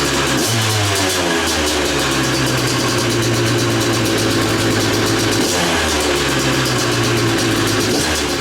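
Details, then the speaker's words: Hard-used KTM two-stroke dirt bike after cleaning dirt out of the carburetor, with a new rear sprocket and paddle tire, oil not yet changed: crisp revs climb cleanly and drop to a steady buzz, no misfires, rattles or vibration; healthy. "it sounds great and doesn't have any nasty vibration or anything like that so uh a testament to two strokes"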